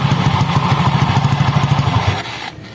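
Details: Honda Scoopy ESP scooter with weak, sluggish acceleration and a rough CVT noise, traced to a damaged roller housing with a seized spacer that needed replacing: engine turns over with an even, steady pulse, no slipping or belt rattle, then winds down; the drive sounds normal.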